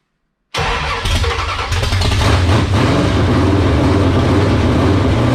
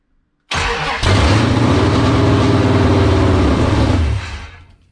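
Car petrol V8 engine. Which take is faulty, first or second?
second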